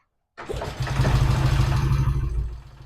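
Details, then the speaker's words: 1968 Triumph T100C vintage twin motorcycle, cold start: starter catches quickly and the engine settles into a steady, even low thump with no misses; clean, healthy cold start with good oil return flow and breather venting. "All right, I'm going to do a cold start on the bike and see how it goes."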